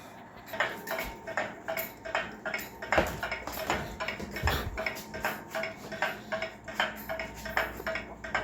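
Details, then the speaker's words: Circa 1960s–70s WUBA/Warmink Dutch 8-day Sallander wall clock, after repair, with chain and weight on: steady, even metallic tick-tock a little over twice a second; it stops ticking if the pendulum is pushed off beat. "As you can hear, it's ticking away. But if I was to push the uh pendal in one way or the other, it will quit ticking away."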